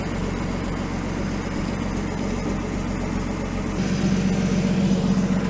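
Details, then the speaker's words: Rebuilt 1949 Chrysler 251 flathead six, first run in 18 months, exhaust missing, warm after about 20 minutes with oil pressure 42 and temp 158; smooth, steady idle with no tappet or rod noise, healthy. "it's amazing how quiet this is never mind the lack of exhaust but there's no tappet noise no Rod noise thing just wants to run"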